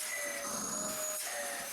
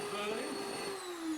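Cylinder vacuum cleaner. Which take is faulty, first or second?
second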